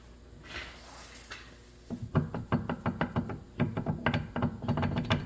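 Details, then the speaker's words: 2011 Honda CR-V, rear left inner CV joint turning loosely with significant play; rattled while driving straight. Shaft rocked by hand gives irregular dull clunks about three per second; worn inner CV joint, CV shaft needs replacing. "I said when I drove it, it sounded like a CV joint rattle, but it was going straight forward when it was rattling."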